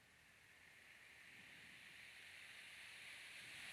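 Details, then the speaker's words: 18-inch high-velocity fan, before oiling, started on low speed (about 0.87 A): soft airy whoosh building slowly over several seconds; fan sluggish to get up to speed. "This one used to start up quicker, and sometimes it takes a bit to get going if you just start it on 1."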